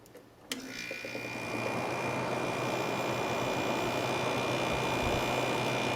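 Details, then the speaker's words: Fedders air conditioner after oiling dried-up motor bearings and cleaning, tested with cover back on; click, then a steady, even hum and airflow with no grinding or rattle; normal running. "sounds like an air conditioner to me oh yeah here with the cover back on"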